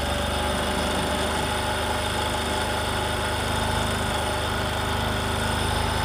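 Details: Discover motorcycle, in a clip about mileage and engine-sound problems: steady, even idle with a soft low beat and no knocks or ticks; the engine is running smoothly, a normal idle.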